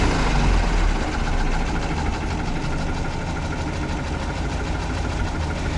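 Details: UAZ 469 (31512) engine after oil pressure dropped to zero on the road: rough idle with dull uneven knock about three per second over low drone; owner suspects a bearing shell, bottom-end knock.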